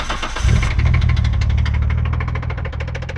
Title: rb26 engine knock